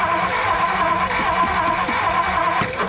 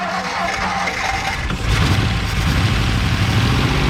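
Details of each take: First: 1957 Ford Fairlane 500 sat 30+ years, new ballast resistor fitted, fuel pump and battery working: starter churns slowly about two turns a second but engine doesn't catch, no fire yet; started on a later attempt. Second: 1957 Ford Fairlane 500 V8 sitting 30+ years, after a new ignition ballast resistor: catches and settles into a lumpy but steady idle running on its own; resistor fixed the ignition issue.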